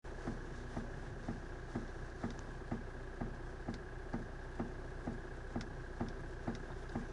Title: Santa Fe DM стук в рулевой...